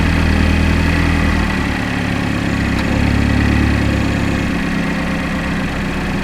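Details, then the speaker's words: 2012 GMC Terrain 2.4L EcoTec after timing chain and balance chain replacement for chain-wear noise; steady even idle with smooth low hum, no knocks or rattles; normal idle. "So now that sounds like a nice healthy engine."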